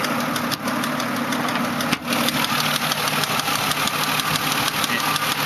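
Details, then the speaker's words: 2005 Mazda 6, hood open, with oil changed 20 minutes earlier, no leaks and the idle dipping slightly. A loud, constant, patterned tick at about three per second, uneven in rhythm, comes from the engine bay. The owner is unsure whether it is the valves. "like a constant tick It's like got like a pattern to it but it's coming from in here"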